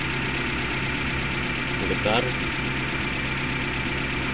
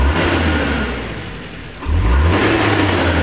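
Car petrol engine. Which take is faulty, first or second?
first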